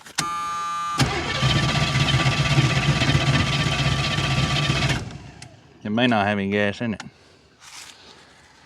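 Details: Carbureted small-block engine cranked by a 4,500 A portable jump starter with no battery connected, choke applied: the starter turns about four times a second for four seconds but it never fires; carburetor thought to be bad, not confirmed.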